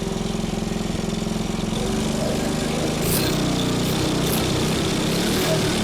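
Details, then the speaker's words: Salvaged small single-cylinder go-kart engine, running after carb cleaning, governor work and point-gap adjustment; quick even popping about three beats a second settling into a steady drone, running fine. "Okay. Well, two things happened. We found out that this engine is a runner, and my feeler gauges vibrated apart."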